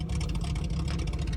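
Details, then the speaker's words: Cheap Jeep Cherokee, warm at idle, fuel pressure 40 psi and compression OK, ran fine cold: low lumpy idle with irregular stumbles, near stalling; misfiring. "you can hear how bad is misfiring in this video and uh trying to stall out it was idling really poorly and really low"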